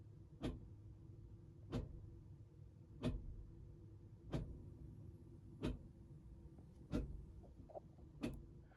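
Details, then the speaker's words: Fiat Idea with Dualogic (Selespeed) automated manual gearbox, after clutch change, robot removal and hydraulic fluid change: end-of-line calibration run from diagnostic tool, brake pressed; short even whirring pulses about every 1.3 s from the front, no grinding; actuator cycling, gearbox failure reported earlier. "Let's see what happens. Hit the old execute. And I can hear the odd sound being made from the front."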